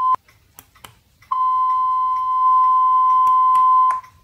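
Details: FenSens wireless Bluetooth parking sensor with its smartphone app sound enabled, on a bench test: one short high beep, then a steady high tone for about 2.5 s; the buzzer works normally.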